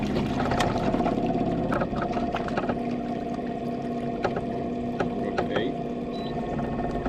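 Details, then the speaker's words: Minn Kota Riptide Terrova 24V 80 lb thrust trolling motor, under a year old, on a 20-ft boat near top speed (7.5–10, about 3 mph): steady motor hum with water splash and a buzzy rattle; shaft vibrating through the whole hull. "vibrating throughout the whole boat now. And this isn't vibrating, it's here. The shaft is vibrating."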